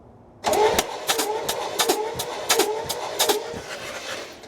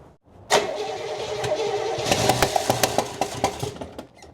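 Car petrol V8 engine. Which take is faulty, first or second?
second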